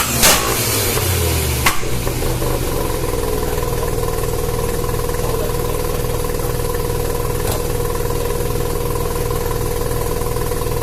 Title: Rexy Savanna Rx7 Sa22C 13B misfiring under boost.. what seems to be the problem?